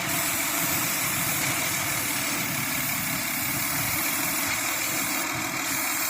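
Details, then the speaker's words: Honda Pilot at idle during a vacuum leak test, combustible spray applied around the intake and its gaskets: an uneven, loping idle with a steady hiss, and the running changes when the spray is drawn in. The intake vacuum leak causes the rough idle and misfire. "what you're doing is you're spraying all around the intake. Now you also have gaskets there, and you're looking for anywhere that it gets sucked in at, and you're looking for any change in how the engine runs."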